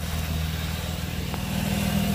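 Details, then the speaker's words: After serpentine belt replacement and tensioning on a 2005 Nissan Altima, the engine idles evenly with no squeal or chirp; before the repair the belt was screaming. Normal idle with quiet serpentine belt. "As you hear, there's no noise, which is good. Before it was screaming."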